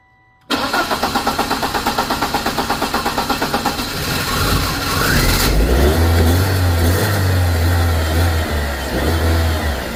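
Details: BMW E36 after a fuel pressure regulator repair for a no-start, fuel leak and bad fuel economy: quick, even cranking at about three beats a second, then it catches cleanly and revs up smoothly, so normal start and rev.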